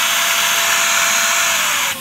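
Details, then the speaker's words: Shark vacuum being unclogged, with paper and debris already removed from the hose. Loud hissing, strained airflow rush with a high whistle that drops suddenly near the end; a clog still remains in the suction path. "I still hear something, so it tells me there's still a clog in there."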